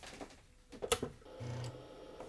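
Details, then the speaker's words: IBM 5150 floppy drive booting after cleaning the edge connectors: only scattered light ticks from the head stepper motor with no spinning hum; the spindle motor does not spin up, drive suspected bad. "Well, I can hear the stepper motor moving, but it's not spinning up. Huh. Yeah, I could clearly see the stepper motor move, but the motor isn't spinning. So, unfortunately, I think this drive might be bad."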